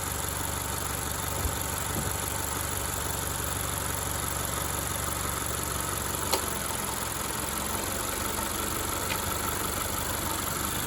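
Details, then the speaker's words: 2013 Honda Accord at about 130,000 miles, idling with AC, headlights, radio and defroster switched on; steady, even idle with no dips, alternator charging just over 14 V and holding above 13 V under load. Normal idle under electrical load. "میں نے ابھی ایئر کنڈیشنر شروع کیا، ہیڈلائٹس آن کی، ... ریڈیو پر، ڈیفروسٹر کو آن کیا، اور میں دیکھ رہا ہوں کہ الٹرنیٹر نے اب بیٹری چارج کرنا شروع کر دی ہے کیونکہ اب میں بیٹری کی طاقت استعمال کر رہا ہوں"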